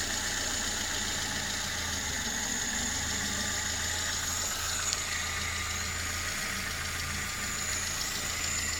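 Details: VAZ 21083/2109, recently bought, idling: light, quick tapping over the engine hum that seems to come from the cylinder head. Owner can't tell what the knock is. Top-end knock of unclear cause.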